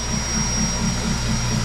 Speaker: I know I know the sound is horrible but you know what it is what it is sound of a hot bike gas bypass for 40 seconds into the freeze right now